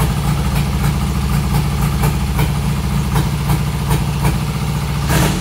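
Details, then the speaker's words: 1972 Triumph Bonneville T120R twin, stone cold first start after major mechanical restoration from seized wreck, on choke; settles into even, lumpy idle with steady low exhaust beat and crisp regular pulses; normal cold idle. "It's stone cold, first start. So I'm gonna stick the choke on, fuel on, both sides."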